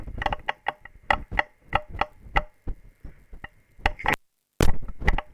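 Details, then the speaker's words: Astatic Silver Eagle crystal mic, internal wear stops it keying properly: irregular sharp crackles, pops and brief dropouts from worn intermittent switch contacts while power stays on; button must be held hard; fix was a 1mm spacer lifting contacts. "can you can hear that that is the contacts that's the contacts in in microphone wire um and so you can you know and we've still got power on the uh on the device but the contacts in the microphone are doing that"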